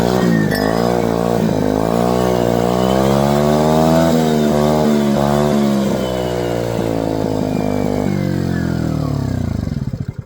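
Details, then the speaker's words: MVP 49cc Chinese scooter revived after carburetor, intake, spark plug and coil replacement, fed from a temporary external fuel tank: small two-stroke buzzes steadily and rises cleanly with each throttle blip, then winds down evenly; normal running. "That sounds better already."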